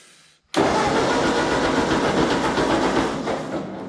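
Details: Ford 8N tractor, just after the points were pivoted about an eighth of an inch and it ran perfectly: starter turns the engine at an even four beats a second but it won't catch; owner suspects it only needs choke.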